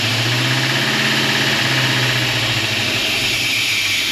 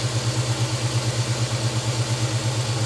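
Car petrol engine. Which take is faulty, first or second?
first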